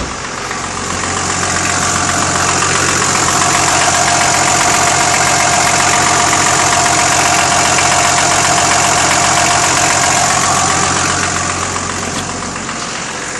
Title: Patrol motorgeräusch